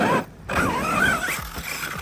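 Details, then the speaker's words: Traxxas Sledge or Arrma Kraton 6S RC truck bashing: motor whirs up and down in quick bursts with smooth gear whine, no clicking or grinding; differentials sound normal. "Woo! Making sure my diffs are still good."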